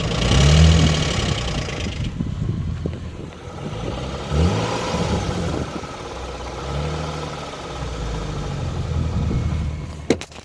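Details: 2007 Infiniti G35S VQ35HR V6 at idle: a harsher knocking clatter for the first seconds that fades to a smoother idle. The knock happens only sometimes and may go away after restarting a few times.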